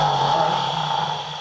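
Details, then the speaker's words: Hopped-up Flathead engine in a roadster, run on starting spray: brief burst of running that sags and dies within two seconds, fuel not reaching it because the fuel line is completely empty. "may have to just crank it a bunch to get the get the fuel to pull yeah cuz that Line's going to be completely empty"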